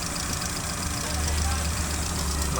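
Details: Chevrolet Aveo after the cylinder 1 misfire fix, with injector 1 now working in the scanner disable test: steady, smooth idle with all cylinders firing. Injector pulse width is now 3.3 ms and is still slightly high.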